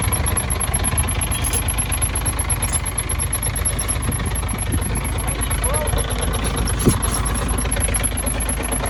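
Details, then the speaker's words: Truck diesel at cold idle after an exhaust repair: a fast, thin chirp repeats evenly with the crank, heard near the front cover, and it stops once the engine has run a while. Cause: crank damper dust boot rubbing the front cover. "Ну всё я там всё установил всё чётко теперь надо запустить и посмотреть что там у меня скрипит"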